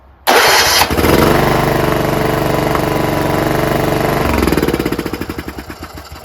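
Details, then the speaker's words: John Deere RX75 rear-engine riding lawnmower after ignition switch modification: catches right away, steady even small-engine beat, then winds down smoothly; runs great, carburetor surprisingly clean, gas tank good, no leaks. Normal start and run. "How about the fact that it runs great? That carburetor, surprisingly, is clean."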